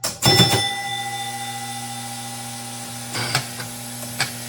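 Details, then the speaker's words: Gottlieb King of Diamonds electromechanical pinball: the stepping units clatter, then a steady buzzing hum as the 0-9 score unit sticks on along with a score rail. The ninth switch adjustment is suspected of causing carryover. "Got something sticking on here. just turned it off and double checked. It's a 0 to9 units sticking on along with a score rail on that."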